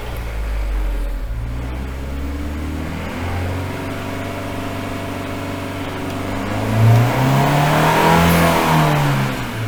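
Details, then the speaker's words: Engine on a dyno in limp mode after a battery disconnect: climbs slowly and unevenly under load, stalling short of a free rev; suspected the dyno water pumps running created enough load to stop it revving. "so before we had the water pumps on the dyno running and I think that must have been creating enough of a load on the engine that it's not allowing it to rev"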